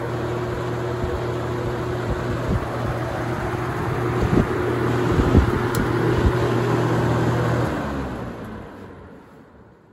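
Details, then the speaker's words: Holmes HABF-20 box fan (Feb 1997), seller's note said "hums". A steady hum and airy rush on high, then power cut and the blades coast down quietly. A smooth, healthy run and spin-down. "So I guess we'll jump it up to high and do one more spin down."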